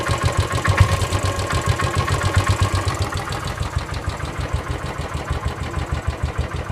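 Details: Royal Enfield Classic 500 EFI Desert Storm, recently serviced and after a long tour, idles with a loose, uneven knock on each thump; friends suggest piston slap or worn floating bushes, unconfirmed.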